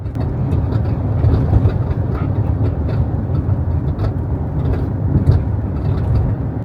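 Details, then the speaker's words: Hyundai Ioniq 5 driving on rural roads: irregular sharp rattling clicks over heavy low road rumble, sharper over bumps; continuous tailgate rattle. "Ioniq 5 has the worst tailgate rattle of any car I've ever been in. Going over some old bridge here. That tailgate is just horrible. continuous rattle."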